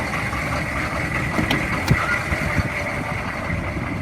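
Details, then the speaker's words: 2002 Chevy 3500 utility truck, 6.5 L diesel, 89,150 original miles: steady diesel idle with even low clatter, loud but smooth, no obvious misses or knocks; normal idle, though something sounded rough in the front. "Idling pretty smooth, and I didn't keep it running too long."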